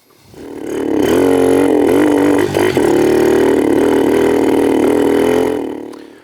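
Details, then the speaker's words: 2006 Kawasaki KLX110 pit-bike conversion: tried an 88 then an 80 main jet, both worse than the 84. Revs up with a raspy, wavering note and a brief stumble midway. Lean running from too small a main jet. "We started with an 84 main jet, went to an 88, and it started to run a little bit worse. Just for kicks, we dropped it back down to an 80, and that made it worse."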